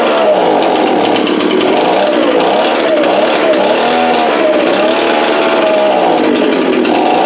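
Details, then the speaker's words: Echo leaf blower two-stroke, after carburetor cleaning of gelled fuel: buzz wanders up and down in pitch instead of holding steady; surging, rough running and lacking power, debris coming from exhaust, getting better as it runs. "Oh alright guys so it does run you solve that we're gonna check the exhaust now it seems like it's lacking a little bit so and make sure it's clean as I felt some crap coming out of it"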